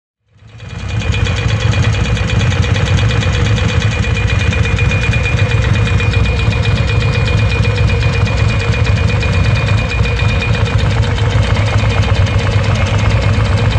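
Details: 1994 Ducati Monster 600 V-twin at idle: a dull, rapid knock rides over a steady idle. Piston slap is suspected but unconfirmed.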